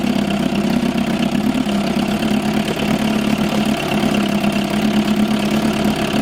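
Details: 1987 Johnson 4hp twin two-stroke outboard in a water barrel, recently overhauled with new choke/fuel shutoff and idle valve, on old rich-mix fuel: steady buzzy running at even speed with no stumbling or knocking; normal running.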